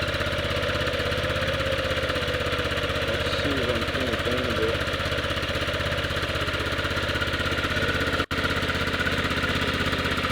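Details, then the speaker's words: 1998 Yamaha Grizzly 600 ATV after wet clutch rebuild with one-way bearing reinstalled correctly: steady single-cylinder putter, slightly lumpy and idling a little hard as if on choke, holding even; normal idle. "Start it up. Sounds good. It does kind of sound like a choke light. Does kind of sound like it's idling a little hard."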